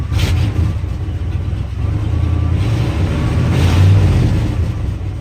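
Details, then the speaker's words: 1978 Ford F250, 400M 6.6 L V8, 4-speed 4x4, original miles, cold start at 8 am after about 15-degree night: deep, steady burble, even low rumble, slight rev swell; normal cold idle. "This old girl runs pretty fucking good."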